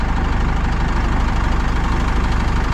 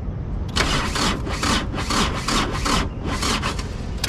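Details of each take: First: Pajero motorhome running after many failed start attempts, finally jump-started from a truck's battery. Deep, even chug at idle with a steady pulse and no stumbles; engine running fine once jumped. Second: Pajero motorhome with a weak battery at about 11.2–12 V: labored, uneven starter churn about twice a second, engine never catching; battery too weak to crank, may need rescue.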